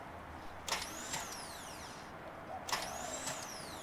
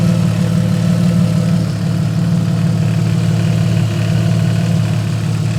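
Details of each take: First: Car with the wrong flywheel and clutch fitted, starter newly installed after being cut to fit; two short bursts of high whine rising and falling with no cranking, the starter spinning freely without engaging the flywheel. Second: Engine starting and idling after a long struggle, with no exhaust fitted; loud, deep, even idle with open-exhaust bark, steady pulse, no knocks or misses. Still needs flywheel machined, new clutch packs and clutch bleed. Normal idle.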